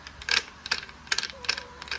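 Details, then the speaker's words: Rebuilt 1.80 planetary gearset from used gears, new bushings, original shims, turned by hand: sharp metallic clicks about twice a second, notchy gear mesh; owner suspects a mismatched swapped gear or over-tight assembly. "it sounds like or feels like something is not mission right and it's clicking and all these are fairly loose"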